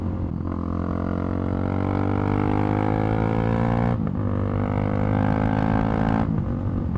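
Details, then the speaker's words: Loud motorcycle cruising at around 6,000 rpm: a faint metallic rattle comes and goes over the engine note, as it has for a few days. The cause was never found, and the rattle later vanished on its own. "a bit of a weird sound every now and then for the last few days. It's starting to worry me. Is only around 6,000 RPM."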